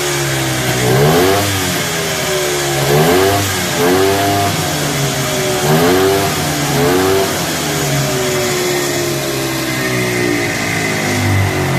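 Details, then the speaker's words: 1973 Arctic Cat Lynx with Kawasaki 292cc two-stroke after clutch tuning with new face, slanted pucks and white spring of 99 lb engagement pressure: revs rise and fall every couple of seconds, crisp, returning to steady idle; normal running. "I have a white spring in here right now that means there is 99 lbs of back pressure on this sheath before we let this belt engage and it sounds pretty good it sounds better"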